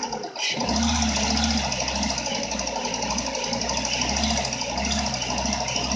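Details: Renault Megane 2 at steady idle: light, regular ticking knock riding over the engine hum; engine knock present, source unclear.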